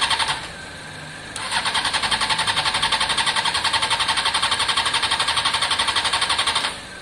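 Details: Honda CBR600 F4i non-runner, accident-damaged and unused for years: steady rapid cranking for about five seconds, never fires or catches. Last ran three years ago only with spray in the airbox; the fuel pump looks to be internal.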